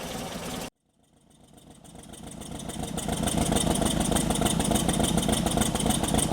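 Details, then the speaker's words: 1964 Triumph TR4 four-cylinder after cylinder head rebuild for burnt valves, Zenith Stromberg carbs tuned: after a short break the engine picks up into a steady, even beat with a faint lope; smooth, slight gallop, needs a little more tuning. "This is smooth. It's got a little bit of a gallop yet. I think there's a little bit more tuning to be done, but really close."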